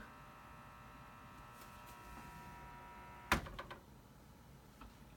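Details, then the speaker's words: Desktop computer: steady thin high whine, seemingly from the back or top of the case, not the fans per owner, cuts out right after a sharp tap on the case; abnormal whine that stops when tapped. "but can you hear that that ain't normal is it"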